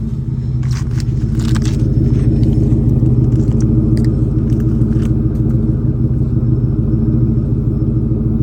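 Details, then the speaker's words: 1996–1998 Ford Mustang GT V8 after Dragon Fire coil pack and plug wire install, cylinder 4 misfire code cleared: deep rumble climbs cleanly with throttle and settles evenly, no misfire; normal revving. "As you can hear, the throttle response. I'm trying to get the camera focused. Misfiring or anything."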